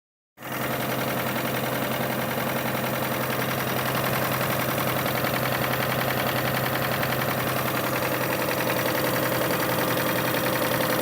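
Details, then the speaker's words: 2005 Kia Sorento petrol engine idling with a steady, rapid knock of about three to four beats per second; source of the engine noise not yet diagnosed. "So yeah, we have this Kia Sorento '05 has that engine noise in there. I'm gonna try and diagnose this and see where the noise is coming from."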